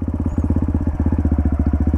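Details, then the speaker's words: Dirt bike in first gear, recorded by a microphone in the rider's helmet as the clutch reaches its friction point. Rapid, even thumping at about 20 beats a second pulls down slightly and the bike begins to roll: the cue to add a little throttle. "listen hear that the bike's kind of light almost pairing a little bit different than what just idling like right now"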